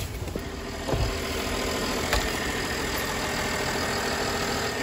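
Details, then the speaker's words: BMW 325i E92 LCI M Sport six-cylinder, about 41,966 miles, salvage car first start with coolant lost, broken radiators; steady even smooth idle, no knocks or misses; light smoke seen at rear, cause unknown; normal idle. "so the good news as you saw the the carve starts the engine sounds really smooth really nice it sounds like i love the six cylinder sound on the 325s and the 330 engines it sounds amazing"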